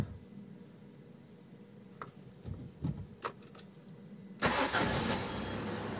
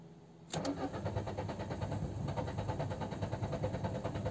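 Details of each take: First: Peugeot 206 CC running on E85 ethanol, cold start: some clicks, then a quick crank that catches at once and settles into a steady, even idle. Clean cold start with no problem; the reported problem is to be checked hot. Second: Peugeot 206 CC running on E85 ethanol, warm engine won't restart hot: it cranks on and on at a steady uneven beat without firing. Owner suspects the fuel filter and plans to replace it.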